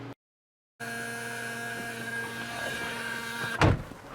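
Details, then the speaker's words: Mercedes-Benz W114 250 parked for decades, starter jumpered with a wire: cranking brings a harsh, steady high whine with little sign of the engine turning over, likely starter drive not engaging; still no start. "wow that sound is horrible all right fingers crossed this should please please please please no it still doesn't work"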